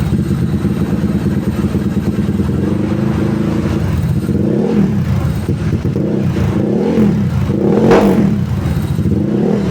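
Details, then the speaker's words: Tuned Honda Stylo 160 with a 61 mm piston, about 9.5 cam lift, near-3 overlap, scraped valves/head, full filter, 38/50 valves, 28 throttle neck and the pulley not fitted: a firm idle, then several sharp revs that rise and fall smoothly with no knock or misfire; healthy. "Begitu men, suaranya lumayan ya. Mungkin karena nggak pakai puli kali ya, jadi suaranya kayak 5 TP, ya kan ya."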